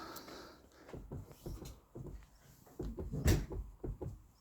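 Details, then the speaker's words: Ford Mondeo Mk4 door rocked up and down: dull, uneven knocks in short bursts because the small 8 mm door bolt had come loose, letting the door shift; fixed by tightening it. "Короче, двер дверка болтається вверх-вниз."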